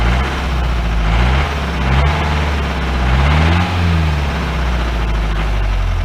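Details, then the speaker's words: 1953 Mercedes 170D (W136) four-cylinder diesel, revived after being seized, idles with hard uneven clatter and throttle blips; diesel knock, heavy smoke, owner suspects worn injector nozzles and holders and wants new nozzles, cause unconfirmed. "six seven eight nine ten cleared up a little bit i don't know i say new nozzles definitely not sound sweet though pressure yes it is"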